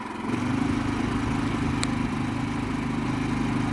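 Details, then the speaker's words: Harbor Freight Predator 3500 inverter generator at full throttle, microphone about 5-6 feet away: a quiet, smooth, steady hum with an even low drone and no knocks or hunting, running normally. "You could sleep next to this thing, literally just a couple feet away, and you're not going to know it."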